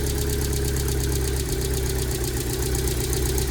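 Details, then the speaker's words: 2002 Rover 75 / MG ZT that stalled at idle with an unpleasant noise and sat a long while: low, uneven, lumpy idle with no clean rhythm, check engine light on, slightly smoky; it runs rough with a misfire-type beat and the cause is unknown. "it has a check engine code the check engine light is on a it's clearly it isn't running very nicely"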